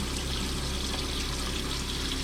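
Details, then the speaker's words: Plumbing after replacing leaky strainer and pipes, hot water tank bypassed, pressure pump system: uneven hissing, gurgling flow with little sputters as air is bled from the hot water line; air sputtering from faucet. "I guess there's some air in the hot water line still. See, let's get all that air out of everything."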